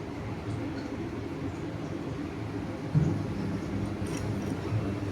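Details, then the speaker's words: IFB top-load washing machine with top panel off, after drum taken out and checked for spin noise: low, even drum hum through the spin with no knocking, scraping or rubbing; running normally, previous noise gone. "तो अभी देख सकते हैं ये machine चल पड़ी है। अभी इसमें कोई आवाज नहीं आ रही है। बिल्कुल नॉर्मल ये मशीन चल रही है।"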